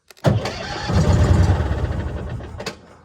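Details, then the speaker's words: 1966 M274A2 military mule being revived after sitting, cranked: catches, fires raggedly for about two seconds and dies. Ignition spark works; fuel system to be checked next. "holy crap it fired [Music] let's do that one more time I just want to hear it fire up again that was kind of cool"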